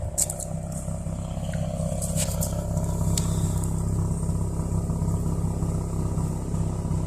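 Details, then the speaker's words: Car after new T-ReX ignition coils, with gutted catalytic converter, new cat gaskets, an intake leak still present and check engine light on: steady idle with an even low rumble and slight exhaust rasp, no misfire, quieter than before. "But she sounds good. You guys can probably tell it sounds a little bit better than it used to. I replaced the gaskets on the cat, so it's a little bit quieter."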